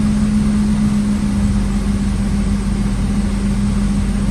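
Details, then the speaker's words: Infiniti M37S petrol V6 idles smoothly with a steady low hum after repairing the cylinder misfire that appeared while driving; misfire gone and scanner shows no codes. "all right so I can just hear that the misfire is gone"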